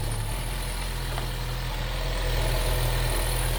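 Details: 2014 Chevy Sonic 1.8L that kept stalling with codes P2270/P0171, after the valve cover with integrated PCV valve was replaced: steady low, even idle rumble with no hiss or suction, vacuum leak gone; normal idle.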